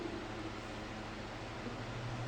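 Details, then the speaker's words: TPI F18 TE floor fan, new, on low speed after fix: steady even rush of air with only a soft motor hum; buzzing on start-up, low and medium disappeared after the fan's back part was pushed and moved slightly. "see you don't hear it at all anymore it's perfect"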